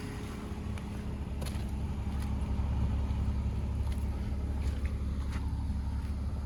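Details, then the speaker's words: BMW with 2.5-liter inline six, newly bought daily driver: low, steady idle hum with an even rhythm and no knocks or misses; idling smoothly and healthy. "Like the speed and stuff is pretty, like once I put the gas, it was on the ball. But as you can hear, it sounds mint."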